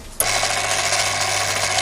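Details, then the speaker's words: Daiwa DR-7500 antenna rotator (same as Kenpro KR-400), internals refurbished and upgraded, powered up on the bench: motor kicks on abruptly, then a steady gear whirr and even low hum, no knocks or catches; normal motor and gear train running. "so let's turn him on i'm powered up so there we are there we are powered up we're taking a bit of a drive"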